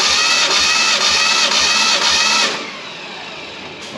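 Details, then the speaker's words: 1967 Fastback Mustang recovered from a West Virginia holler, compression test while cranking: steady, even starter cranking without firing; back cylinder pumped up to 130 psi, other cylinders reading 60–100, crew suspects someone had it running on a can. "that pumped up to 130 somebody had it running on a can see the hose mhm I'm I'm I'll double check this other this front one here to make sure but we had 130 on that back cylinder"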